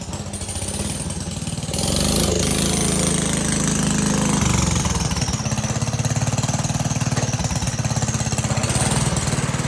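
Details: 1960 Wheel Horse Suburban 400 garden tractor, restored, Kohler single-cylinder engine, recorded from a tripod at start-up and drive-off; steady thumping, picks up cleanly with throttle and settles back to even idle; running fine.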